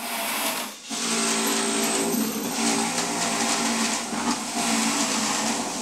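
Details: Juicer motor running under load: steady whir with grinding hiss as produce feeds through, speed holding without dragging, humming or stalling.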